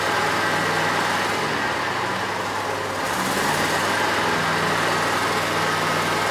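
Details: Bobcat zero-turn mower (Ransomes 942205) with a Kohler SV730S engine, started from the seat in neutral with the parking brake on during wiring and charging troubleshooting: a steady, even idle with a smooth low rumble and no misses, knocks or stumbles.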